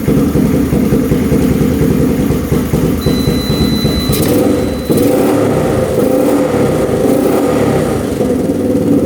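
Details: Rough 4x4 ATV sitting for years, first start after siphoning old gas: single revs unevenly, sputtering in ragged bursts, runs only on partial choke and dies off choke; owner suspects not enough fuel, fuel screw to go out, float height fine.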